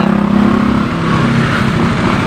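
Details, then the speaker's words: Suzuki Rider 150 FI, about 21,653 km, after clearing the FI check-engine fault, ECU reset and cam chain tensioner adjusted: even, quick putter at fast idle around 1,500 rpm, top-end ticking gone; normal idle. "Tingnan natin yung minor. Wala nang ingay. Yun, wala na, tahimik na."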